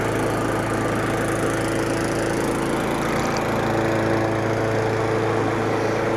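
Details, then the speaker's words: Craftsman 917.388834 push mower, Briggs & Stratton Classic flathead, after carburetor work and priming, possibly wrong OHV-type spark plug: runs good, holding a steady, even buzz at constant speed without stumbling or hunting. "Runs good."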